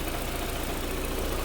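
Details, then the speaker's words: Audi after timing belt and water pump replacement, with the previously unplugged connectors reconnected: even, low idle with a steady beat and no stumble or misfire, sounding better. "but now we got, sounds a little better."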